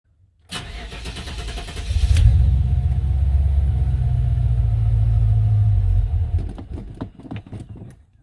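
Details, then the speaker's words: 1995 Impala SS LT1 V8 cranks, catches with a loud roar, runs a few seconds, then sputters and dies; vacuum leak from brittle vacuum hoses at the throttle body (purge solenoid and valve cover hoses replaced). "so weird hmm starts and dies okay we're gonna stop"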